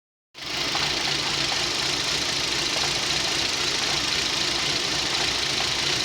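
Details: Rover 25 1.4 petrol, warm start: slightly uneven, stumbling rough idle; fuel pump first suspected, but the cause was a faulty lambda (O2) sensor, fixed by fitting a used replacement.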